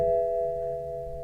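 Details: 2015 BMW 328i with 47,000 miles, ignition on and engine not running, gives a single fading dash warning chime amid faults for airbag belt tensioner, increased battery discharge and park; a dead battery is suspected.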